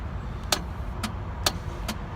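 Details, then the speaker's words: 1997 BMW R1100RT, 56,500 miles, refusing to start; four sharp single clicks about half a second apart with no cranking whir: starter solenoid engages but starter motor not turning; starter failing. "clicking sound that you will hear and that clicking sound is from the solenoid switch on a starter that would actually engage this sprocket to the flywheel but the motor is the one that is not working"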